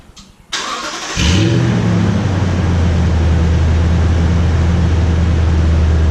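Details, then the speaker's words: Toyota Tundra on the stock exhaust before a TRD dual exhaust install, run half an hour earlier, mic behind the truck by the exhaust: quick crank and catch, smooth even idle, revs rising cleanly with no knocks or rattles; healthy. "I wouldn't say it was a cold start because I did have it running about half an hour ago maybe about half an hour but there's a startup few reps for you"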